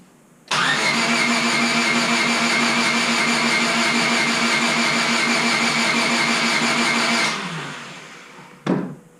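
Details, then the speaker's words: Rebuilt Honda Civic Si after valve cover and distributor install: starter whirs steadily for about seven seconds at about 200 rpm cranking, engine never fires; crank sensor and MAP sensor readings respond, no-start being traced toward no spark. "So a couple things I noticed there. We were getting revs, we were showing about 200 RPM."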